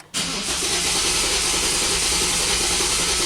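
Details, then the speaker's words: 2010 Dodge Nitro 4.2 L V6 with P0304 and multiple misfire codes, cranking in clear-flood mode, pedal floored, for a relative compression test. Steady hissy whir, faintly uneven beat: one cylinder at 79%, assumed number four. "now we can see that the one of the cylinders has low compression is 79% assuming that's of course number four that has a misfire on it"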